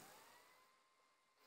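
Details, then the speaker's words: HP laptop: steady airy fan whir with thin tone near 1 kHz, graphics card fan running excessively loud with heavy overheating. "Sesini duyabilirsiniz. Aşırı derecede bir ekran kartının fan sesi var. Ve çok aşırı derece bir ısınması var."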